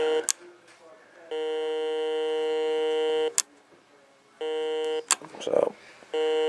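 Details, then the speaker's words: Heathkit GD1190 metal detector that once worked and then gave out: a steady electronic buzz near 480 Hz cuts in and out in long stretches. It buzzes at every control setting (discriminate, normal, total), which is not normal; the cause is unknown. "far as I can tell, the buzzing definitely ain't normal."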